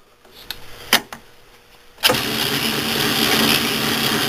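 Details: South Bend 9A lathe gearbox, in a tumbler setting other than left hole A/right column 2 (where it thumps at 4½ TPI): light clicks then a smooth, steady whir with no thumping; normal running.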